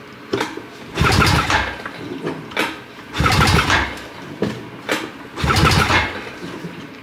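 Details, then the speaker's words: 2006 Honda Rancher 350 ES quad that won't start, compression test while cranking: three even churning bursts with no catch. Reads 110 PSI against a 90 PSI spec, so compression is healthy. "We have 110 PSI. That's plenty to give us a good running engine."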